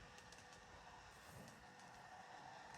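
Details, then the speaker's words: Kato 521 series model train on track after oiling, a recurring noise that oiling has cured three times: soft even whirr with light rail clicks, no grinding or rattle; running a lot better. "that is now running a lot better."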